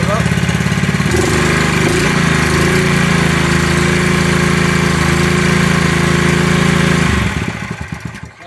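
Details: Scrapyard-rescued pressure washer small engine, run briefly without water to the pump; catches and runs steady at a fast even beat for several seconds then dies away — normal running.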